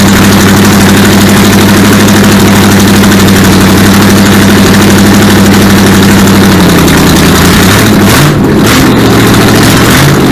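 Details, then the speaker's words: Supercharged V8 in a 1959 Vespa microcar, refuelled from a hand-held can with throttle worked by hand: catches and settles into a loud, steady, slightly lumpy idle with exhaust smoke; timing, fuel pump and cooling still to sort. "Well, she's running. Alright, well, that was a lot better result than we had the other day."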